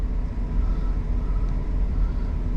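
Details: Warm idle of a 2009 GMC Yukon 5.3 LS V8 after oil pump replacement for low oil pressure, run about 15 minutes: 40 psi oil pressure, just under 210°F water, over 14 volts; steady even firing beat with no knocks or ticks, healthy.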